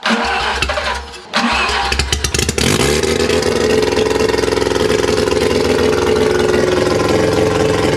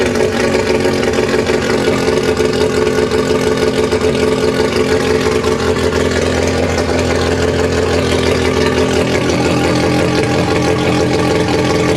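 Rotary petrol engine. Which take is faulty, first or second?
first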